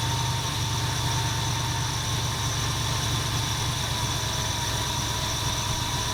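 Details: 1977 Ford F250 351M V8 with Duraspark II ignition, cold and idling on choke: an uneven, lumpy, popping idle persisting after new plugs and a new coil. Owner later suspects carburetor dirt or blockage and carbon-fouled plugs.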